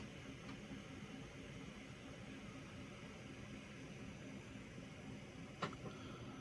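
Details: XFX RX 580 8GB after cleaning and GPU repasting, under 3DMark load peaking at 64–67°C; it was jet-loud before: only a soft, steady whoosh with no rattle, ticking or rising whine. Normal fan noise under load.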